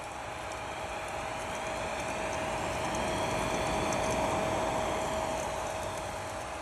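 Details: Spike Flow pump after the DIY noise fix, magnet pushed flush with no gap and Allen screw retightened; quiet, even hum with a faint steady tone and no rubbing or rattling; running normally.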